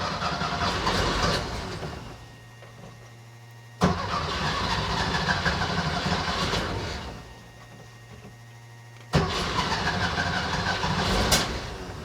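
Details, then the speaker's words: Weber 40 IDF carbureted engine after cleaning clogged idle jets and reassembly, owner blaming debris entering past air cleaner gasket: engine catches cleanly on each start and settles into an even, steady idle with no stumbling or misfire. "so everything's now put back together so it's time to start it up see how it idles"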